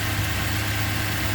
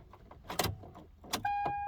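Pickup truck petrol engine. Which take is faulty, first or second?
second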